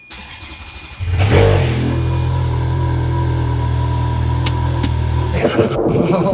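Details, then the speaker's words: 2008 Ferrari F430 starting after new Fabspeed headers with header blankets replaced the ceramic-coated headers that caught fire. It catches within a second and settles into a smooth, deep, steady idle while smoke burns off; expected smoke, no fire. Normal start. "Oh, it's alive! It's alive! It's alive! It's alive! Yeah, you can smell that smoking pretty good."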